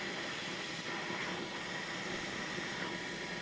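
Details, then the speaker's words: Mercedes M273 V8 secondary air injection pump at 100,000-mile inspection, outlet hose removed to check flow: steady even whirring hiss and smooth whine, no grinding or bearing noise; pump passes as healthy. "this pump sounds fine if you hear grinding and bearing noise I recommend you change it before it fails but for this pump here it gets a pass"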